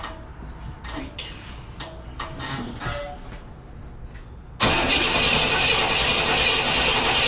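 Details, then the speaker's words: 1967 Cadillac Coupe DeVille, first start after sitting about a year, on jump pack boost: several short cranking bursts then steady cranking without firing, fuel slow to reach the carburettor; it then catches, running rough at first. "she is alive don't sound good but he's alive come on"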